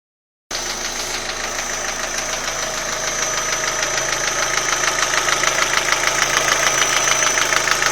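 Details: Old Opel Astra G petrol engine at idle with a steady sharp knock about three a second over a bright metallic running sound; engine knock, cause unknown.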